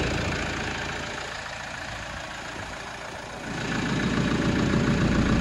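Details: Toyota Hilux LN106 with a swapped-in 1KD-FTV diesel, start after fuel-system work and no coolant yet: it settles into a steady, even clatter of about 3.5 beats a second with no misses, sounding healthy at idle.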